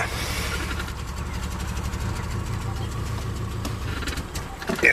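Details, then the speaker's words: Old Subaru Outback idling unevenly, surging and near stalling after banging on the gas tank failed to help; gas pedal unresponsive, exhaust smells terrible, failing fuel pump. "he's trying to push the gas pedal and doesn't respond. Just tries to stall out."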